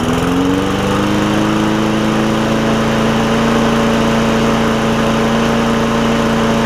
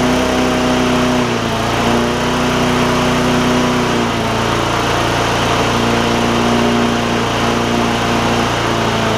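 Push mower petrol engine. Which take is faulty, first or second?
second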